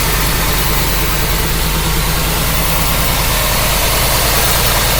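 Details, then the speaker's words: '54 rat truck, 305 throttle-body fuel-injected V8 with about 120,000 miles, after water pump work: loud, steady low burble at idle with even firing and no knock or tapping; owner says it doesn't smoke or knock, normal idle. "Runs like a champ. Doesn't smoke. Doesn't knock."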